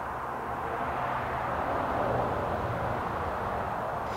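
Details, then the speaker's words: Mazda Miata leakdown test, engine stopped, listening at the opened throttle body for intake valve leakage: steady soft air hiss, only ever so slight leakage past the intake valves, considered good. "so we want to check the intake valves by opening the throttle body because if air is leaking past them you will hear it through the intake manifold"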